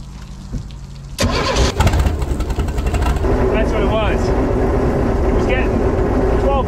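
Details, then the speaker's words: Vintage Caravelle boat inline-six, sitting since the 1990s, first start after hot-wiring the coil: cranks once, catches quickly, and settles into an even, smooth idle with no misses or knocks. Healthy. "boy does that sound good man this is going to be a fun boat probably a rip or two with this inline six you know that is so smooth compared to a four banger"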